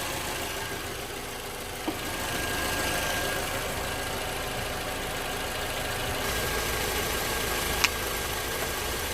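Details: 2011 Toyota RAV4 idling after alternator and belt replacement (old alternator found bad), charging at 13.6 V; steady, even idle hum with no squeal, chirp or rattle from belt or alternator; normal idle.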